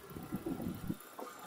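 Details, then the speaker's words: Vauxhall Tigra after cleaning gunked throttle body and dirty MAF with contact spray, plugs cleaned and gapped to 0.8: low soft even idle murmur, no misses, knocks or hunting; ticking over smoothly. "well I hope you can hear that's really sweet it's a nut um clean the throttle body out there's some gunk in the throttle body"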